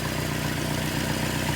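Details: 1978 Datsun 1500 Ute GN620 with new carburettor, running on 20-year-old fuel without temporary tank: steady even low idle, smooth regular beat, no knocks or misses; normal idle.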